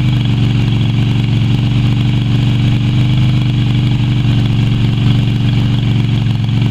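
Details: Yamaha Virago XV250 V-twin after six years in storage, oil topped up but not changed: loud, uneven low thumping at idle with a loping, irregular beat, running rough.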